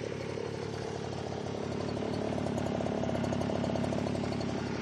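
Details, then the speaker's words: X-9 pocket bike small two-stroke, after a bad spark plug was replaced, the flooded engine cleared and the oil-soaked air filter cleaned, idling on choke: burbly, slightly uneven, loping note; running very rich, with excessive smoke. "like i said it's really really gassy it puts out way too much smoke"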